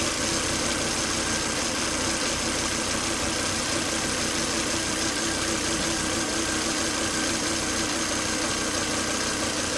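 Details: Volvo S80 2.5T idling after 10–20 minutes running: steady high thin whistle over even idle, strong vacuum sucking at oil cap; caused by failed crankcase breather box/filter, solved by replacing it.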